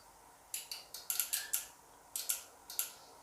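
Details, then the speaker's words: Lab bench power supply whose two output channels' voltages keep fluctuating on their own. Sharp, dry relay clicks fire irregularly inside it, some in quick pairs, over a quiet room. "you can also hear the relays clicking so let's open this up and take a look inside"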